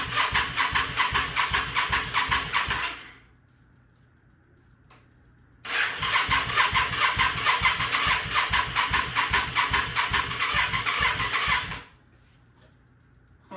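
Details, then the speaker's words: 1998 Yamaha V Star 650 holding fuel pressure, briefly ran on choke then cranks steadily about 2.5 turns a second without catching; not pulling more fuel, owner suspects float needles stuck closed or carbs needing cleaning. "well it's it doesn't seem to be pulling any more fuel so I don't know if the uh if the needles got stuck in a close position hopefully not"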